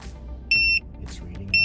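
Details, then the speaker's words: Kormate TPMS on a RAM 1500 with Load Range E all-terrain tires, after a few hundred miles on a 15-degree morning: piercing quarter-second beeps repeating once a second, the monitor's low-pressure alarm, still working. "you can hear the low pressure signal beeping on here, so it continues to work."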